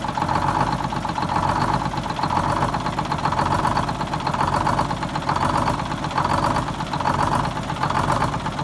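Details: 74-year-old Greyhound bus diesel fired up from a newly built start-stop box after rewiring, to check a leak: clattering idle with a steady beat and gentle slow swells, no knocks or misses. It runs normally, though a little oil still seeps.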